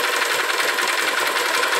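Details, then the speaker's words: Honda Titan 150 misfiring and noisy at idle: fast, dry metallic clatter at the cylinder top, resembling cam chain plus piston skirt, and a knock on the clutch/balancer gear side. Cam chain rattle with piston slap. "ó ela tem uma batida do lado aqui Campana ou drenagem do balanceiro E tem também um Maracá em cima aqui no cilindro pode ser saia de pistão confundindo um pouco com corrente de"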